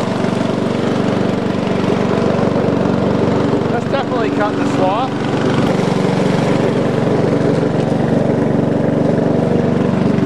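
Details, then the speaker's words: About 20-year-old lawn tractor revived after 9–10 years sitting, driving with mower deck engaged: steady unbroken engine drone holding speed while cutting, no surging, knocking or bogging; running normally under load. "oh yeah she's a worker she's working success see you make the deck work now oh it's working"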